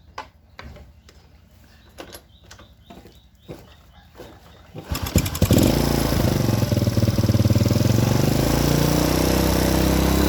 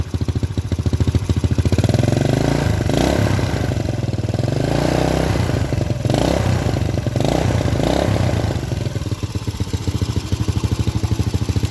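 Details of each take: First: Honda Supra Grand carbureted motorcycle after reinstalling carburetor parts to cure black, fouled plugs: engine fires after handling clicks and holds steady, even beat about four per second; idle sounds smooth. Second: Honda Supra Grand carbureted motorcycle with recurring black fouled spark plugs and stalling, engine stays cool when hot: single idles and revs with dull muffled exhaust and lazy response; running too rich, carburetor jets to be checked.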